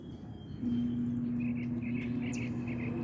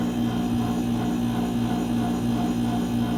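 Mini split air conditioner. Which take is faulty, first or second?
first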